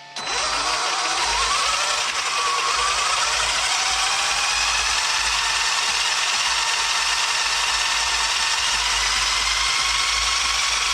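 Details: Traxxas XRT RC truck conversion on first power-up: sharp high gear whine climbing as the motor spins up, then a harsh raspy pitch; owner suspects loose wheels, gear mesh around mod 1, and missing screws.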